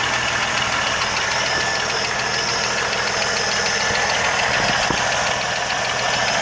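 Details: 1980 Jeep CJ7 at idle: a light, fast ticking of roughly three per second over a steady idle; an engine ticking noise of unclear source.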